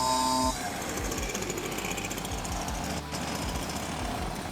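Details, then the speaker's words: Stihl BR430 backpack blower after repair of hydrolock, likely caused by a leaking carburetor diaphragm letting gas into the cylinder: strong, even two-stroke roar holding steady, no stumbling; normal running. "Easy peasy. We're on and running. It's not going to fill up with gas anymore and become hydrolocks."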